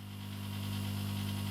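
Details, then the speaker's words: Chinese laser cutter air assist pump with the airflow control valve closed; the pump does not turn off automatically. Steady low hum that grows heavier and strained. Pump stalled and working very hard against the closed valve. "but the biggest problem is the pump doesn't automatically turn off and especially if I've got if you listen to the pump when I turn the air flow off the"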